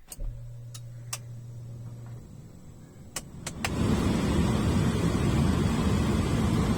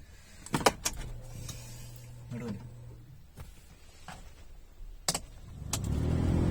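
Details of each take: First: Alto AC blower after motor removed, cleaned and refitted, key on: switch clicks, then fan spins up to smooth steady rush of air, no rattle, scraping or former humming; normal blower operation after cleaning. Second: Suzuki Alto with key on, blower switched on: after some clicks the fan spins up into a deep, loud booming drone; leaves and a seed lodged in the blower motor cage cause it, fixed by removing and cleaning.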